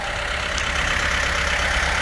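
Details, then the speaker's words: Formosa 41 sailboat diesel at idle after a dead new battery and a transmission grinding noise; the alternator now shows 14.3 V charging, with good oil pressure and water temperature. Steady, even, smooth idle with no knocks or misses; runs good. "Pressure's good. Water temperature's good. Sounds good. Yeah, runs good."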